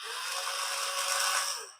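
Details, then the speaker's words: Paladone RC VW Campervan toy, close up with no load: the motor gives a high, even buzzy whir for about two seconds and then winds down while the wheels don't turn; at least one or two gear teeth missing. Owner suspects a weak battery for the steering. "Engine spinning. Nothing's happening. Yeah, we got at least one or two teeth missing there."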